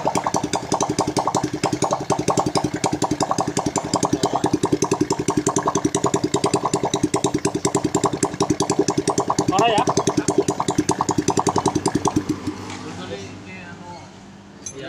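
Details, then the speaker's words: Honda Karisma (Supra X125-type engine) that smoked heavily despite a good piston, after the clogged oil-ring holes were cleaned and a new ring fitted; run without the exhaust to confirm it no longer smokes. Crisp, evenly spaced popping from the open port at a steady idle, then a clean shut-off; normal idle. "sengaja ya dihidupkan tanpa knalpot untuk memastikan bahwa dari mesin itu sudah tidak ngeburn hanya untuk memastikan saja"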